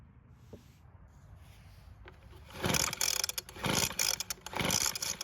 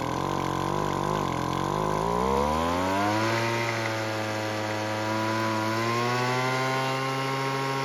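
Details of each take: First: Weed Eater two-stroke leaf blower pulled on choke: three quick pull-cord rips about a second apart with no firing pop, so the engine turns over but won't start; it is suspected flooded. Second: Weed Eater two-stroke leaf blower that wouldn't start, after carb tuning with the L screw turned out for more idle fuel. The buzz climbs, then settles into a steady, even drone with no stumbling; normal running, cold-start reliability still unconfirmed.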